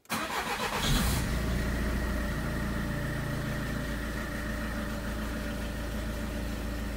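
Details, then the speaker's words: 2002 Peugeot 307 2.0 HDi 110 hp diesel after a full service with new oil, oil, fuel, air and cabin filters; ignition cycled to prime the fuel filter, then cranks, catches at once and settles into an even clattering idle, no knocks; normal diesel start and idle. "je laisse un peu le moteur tourner à vide le temps que l'huile fasse le tour du circuit, en accélérant légèrement un petit peu."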